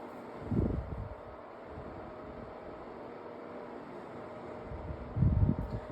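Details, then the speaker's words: Tower fan on speed one: steady low hum with deep rumbling surges a few seconds apart, rougher and louder than a comparable tower fan; owner suspects the motor is faulty. "I think the motor on this thing is messed up because do you hear this? I've never heard a tower fan sound like that before."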